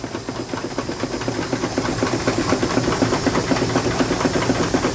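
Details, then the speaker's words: Miniature space-saver model steam engine, always temperamental: quick steady hissing chuffs about four a second with a light rattle, losing steam and struggling to keep running; owner suspects it is just tight. "I can hear it losing losing Steam it wants to go it's pretty fancy little motor it might just be tight"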